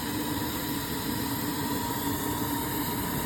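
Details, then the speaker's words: 1973 club 10-wheeler steam locomotive near full pressure (safeties pop about 110–115 psi), injector on with water backed off: smooth, constant hiss with a faint steady whistle, no sputter; injector picked up, feeding normally. "Turn it on, back off your water until it picks up. It shouldn't be dripping."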